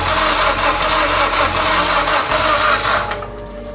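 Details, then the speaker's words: Mitsubishi Evo X engine that sat over 10 years, newly installed, cranked to build oil pressure; an even, steady crank at about three turns a second with no firing. Normal cranking without firing. "so we've cranked the car several times a lot honestly uh just to make sure that again oil pressure builds up"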